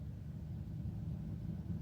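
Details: 2004 Dodge Grand Caravan 3.3L V6 blower motor at low speed after blower resistor diagnosis, key on: soft, low, even fan rumble, no squeal or ticking, steady airflow; normal low-speed operation.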